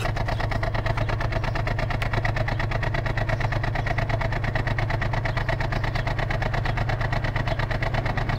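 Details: 2004 Ford Falcon XR6, about 101,000 km: cold start after sitting overnight, steady thrumming idle about three pulses a second with slight stumbling; misfire lasts only 30–60 seconds despite new inlet and exhaust gaskets, coils, plugs and fuel filter; compression tested.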